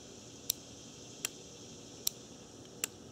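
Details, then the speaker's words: Automotive cooling fan relay bench-tested with about 12 V from an RC battery pack on terminals 1 and 2: four crisp clicks as the relay pulls in each time. The click alone doesn't prove it works; continuity is checked across terminals 3 and 5. "relays for actually you can hear it click well then you hear that"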